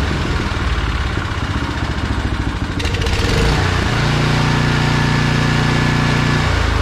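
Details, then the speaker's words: Briggs & Stratton Snow Series engine on a John Deere snow blower, run at full throttle after warm-up with a new HIPA replacement carburetor (old generic carb sputtered rich at full throttle), covers off: a few small sputters, then a steady, even high-speed drone with no misses; normal running. "okay so our test run was good so now we're just going to put the rest of the covers back on this thing"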